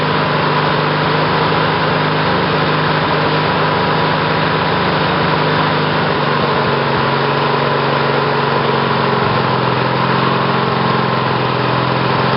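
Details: Briggs & Stratton 18 hp twin OHV vertical-shaft engine (model 822707), first run on GM LS2 coils triggered by failed magneto; steady constant-speed fast even putter, no misses or backfires; engine running.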